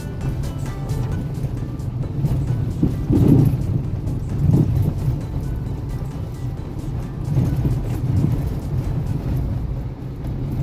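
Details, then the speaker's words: New-generation Hyundai HB20 on a road test and on the lift: dull knocks under road rumble, then sharp clicks; failed steering rack seal let moisture rust the rack, which cannot be repaired and needs replacement. "Esse ruído ocorre devido a um defeito no retentor de vedação da caixa de direção."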